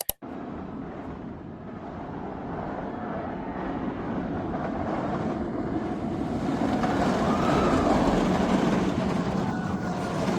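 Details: Batman The Ride roller coaster at Six Flags Magic Mountain: rumbling run swelling over ten seconds with a fast, fairly steady rattle about three to four per second; cause unknown.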